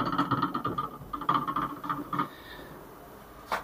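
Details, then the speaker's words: 2020 Ford Ka 1.0 front right shock absorber, removed: the seal had burst and leaked all the oil. Quick hollow clunks as the rod is pumped by hand, from play at the worn rod guide; worn shock absorber rod guide. "na pancada estourou estourou retentor foi vazando todo o óleo e aí acabou acabou amortecedor mas eu dou já era ó Que barulho é esse barulho aqui fazendo o carro"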